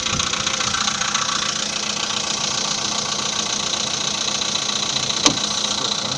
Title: Стук поршней VW Polo Seda 2015 года (после модернизации поршней)